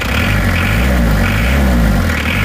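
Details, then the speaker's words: Isuzu Panther 2.3 diesel after new NPR liners and piston rings, injection pump timing adjusted counterclockwise away from the engine: steady even idle with a smooth low rumble, no knocking; normal healthy engine after repair. "Sudah oke. Panther 23 setelah dirubah timing bospomnya itu suaranya menjadi seperti ini."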